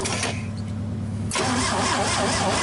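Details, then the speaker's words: GMC 305 V6, first start in years: steady starter cranking, then a louder rush but no idle; cranking to get fuel up into the dry carburetor bowl. "now we're gonna crank it over and see if we can at least get some fuel up in there in the bow"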